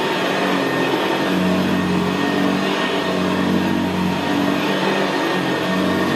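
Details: 1975 Hoover Senior Ranger U4002 vintage upright vacuum on carpet: steady, even, quiet motor hum with a low gravelly brushroll growl, no knocks or rattles, more audible where carpet is squashed down. Normal running.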